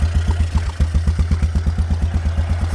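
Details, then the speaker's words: Yamaha Grizzly 600 ATV with a new aftermarket Chinese carburetor, fuel dripping: thumpy single-cylinder idle, lumpy and uneven; owner suspects carb not tuned or wrong jet size (spec calls for 115 jet). Rough idle. "Not bad, considering the Chinese special. Let's give it some throttle. If I can. Oh, yeah, good. It's running like shit already."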